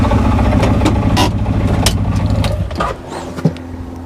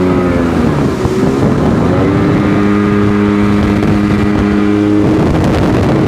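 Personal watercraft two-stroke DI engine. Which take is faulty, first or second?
second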